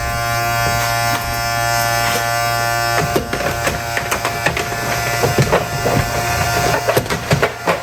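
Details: RCA SJT 400 CED videodisc player loading and spinning a stereo disc on side two: steady buzzing drone, then irregular scraping bursts after a few seconds; turntable sits too low and rubs during play, and no picture plays.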